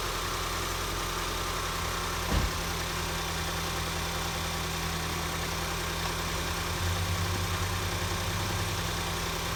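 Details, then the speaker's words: 2014 Ford Escape 1.6L after head gasket replacement, warmed up and driven: smooth, even idle with a steady low drone, no knocks, ticks or misses; runs healthy, repair called a success. "So far, not to jinx anything, but so far I would call that a success. Runs good. Drove it around, warmed it up a couple of times. Runs remarkably well."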